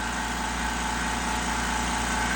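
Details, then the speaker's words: California Air Tools 20020AD air compressor with auto drain, which bleeds a little air at start-up to cut starting amperage draw: a steady, even hum with no knocks or rattles. Normal running. "I also love the auto drain feature and the fact that it releases a little bit of air when the compressor is first firing off to reduce the starting amperage draw when the compressor is first firing."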